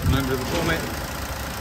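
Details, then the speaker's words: Vauxhall Corsa with service history from 2004 to 2012, engine idling under the open bonnet: low, even hum with no knocks or rattles beyond what its age and mileage suggest; normal idle. "a car of this age and mileage, I'll say it's pretty good order, no real knocks or rattles that you wouldn't expect. All sounds good to me."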